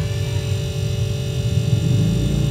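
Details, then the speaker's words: Polytron two-door fridge not cooling despite new defrost sensor and timer; compressor at rear hums steadily with faint vibration, no knocking or clicking; compressor running normally, no need to replace overload relay. "ini e suara mesin kompresor nah ketika sudah kalian cek bahwa mesin kompresor ini hidup berarti mesin kompresor ini enggak ada masalah"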